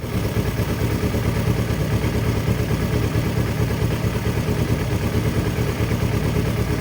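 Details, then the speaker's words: Used Kawasaki Ninja 250cc parallel twin idling during a pre-purchase check. A light, fairly steady tick about ninety a minute rides over the engine note. Abnormal top-end clicking, cause unclear; buyer plans to take it to a workshop. "So like here's an example whereby, do you hear the clicking sound? Okay, that clicking sound isn't normal for any bike. This is a 250cc bike and that clicking sound is definitely not normal."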